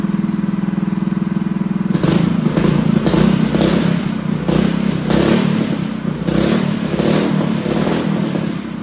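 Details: Freshly built Honda GX200 clone single-cylinder go-kart engine clamped to a table, first start on choke: catches and runs ragged with uneven surging and stumbling; lean running from a clogged carb jet, owner will step up the jet.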